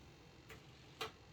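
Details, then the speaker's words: Dynam Gloster Meteor V2 twin 70mm EDF 6S PNP jet with an aftermarket Spektrum-protocol receiver, after the build: the retracts give two faint ticks in a quiet room. They try but don't cycle the gear, clicking without moving; cause not confirmed. "yeah maybe the gear will work no it tries but no"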